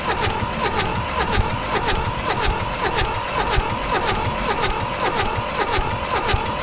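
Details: Mitsubishi D1800 tractor, KE95 diesel with ND injection pump being overhauled after priming: steady cranking just under two strokes a second, no firing; timing and fueling are suspected.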